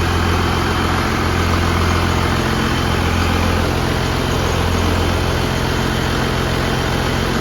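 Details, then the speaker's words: 1969 Dodge D200 Sweptline with swapped 5.9 12-valve first-gen Cummins: deep, steady diesel rumble at warm-up idle, firing evenly without knocks or stumbles; healthy-sounding engine, though battery not charging. "this thing sounds mean if you can hear it behind me I'm sure you can this thing's really coming together just love to be able to hear it running under Cummins power in an old 69 swept watch"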